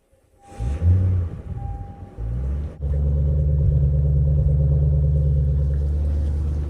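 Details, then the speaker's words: Lexus GS400 V8 with 372,000 miles, started after fuel pump priming: engine catches and settles into a low, uneven rumble, not running on all eight cylinders; misfire from a massive fuel leak at the last cylinder's injector. "Oh, for a couple of seconds I thought it wasn't running on eight cylinders. No, it's not running on eight cylinders right now."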